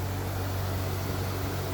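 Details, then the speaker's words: 1998 C5 Corvette in garage after removing Sac City Coolit V2 fan controller (car nearly overheated with it) and adding high-speed fan wiring: steady even whooshing roar, both radiator fans running normally, coolant temperature around 194–196. "back in the garage as you can hear [Music] both fans are running"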